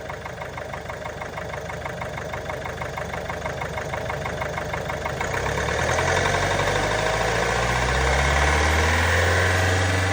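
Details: Range Rover Velar 2.0 D240 Ingenium diesel at idle, engine warning light on: quick regular top-end tapping that goes away when revved; cause not yet known.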